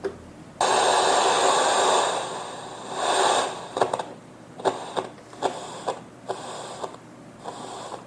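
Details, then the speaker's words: 1980s National RX-1494W radio cassette recorder powered on: crackly static surging and cutting out in uneven bursts as the volume control turns, pot sticking, possibly from unsuitable oil causing plastic-on-plastic rubbing. Scratchy volume potentiometer. "Esse barulho não era para dar, tá? Isso aqui é potenciômetro. Pelo jeito que ele tá travando aqui, tá? Porque eu tô girando, ó, ele dar umas travadinhas, ó, ele fica tropeçando."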